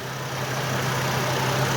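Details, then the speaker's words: 2003 Chevy Trailblazer at idle after installing a new ignition coil: steady even hum, smooth beat, no sputter or misfire; the bad coil was the problem. "smoother running engine right now I I can physically see and not sputtering and I can hear it it's not misfiring at all"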